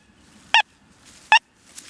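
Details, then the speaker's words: Deus 2 metal detector, 11-inch coil, deep dive program, full tones, sensitivity 93, salt sensitivity 1, iron volume off, dime over 10 inches deep: three short bright repeatable tones, readings 91-93. "You hear that? 91, 93. I got that call a little bit off the ground there, boys."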